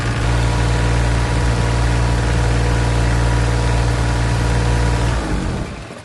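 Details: Green APU diesel unit on a semi truck after a DIY oil change (4 quarts); a steady, even low diesel chug with no knocks or misses for five seconds, then it winds down smoothly; normal running.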